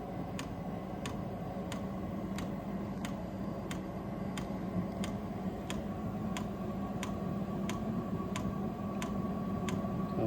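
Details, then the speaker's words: Vevor diesel heater at about 30 hours of running, just turned up to setting 4: sharp, even fuel-pump ticks over a low fan hum as it ignites and starts pumping. This is normal dosing on startup. Oil was found under the tank, possibly spilled while filling; no leak found. "Sounded like it ignited. Oh, starting to pump there."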